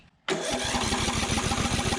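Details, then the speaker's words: 2004 Craftsman DYT4000 riding mower, Briggs & Stratton engine, abandoned in a field, running on a doubtful carburetor: starts and settles into an even, steady beat with no misses or knocks; motor sounds good, normal running. "i just wanted to see if i could get something on here and uh run some fuel through it so motor sounds good"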